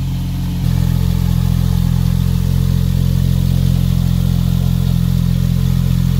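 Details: Porsche 911 Turbo, coolant fittings replaced, now on a COBB Accessport stage 3 tune for 1,300 cc injectors and 93 octane. Deep, steady exhaust drone rising in level, smooth and even; no more blue smoke or rough running. Normal running, fine tuning still needed.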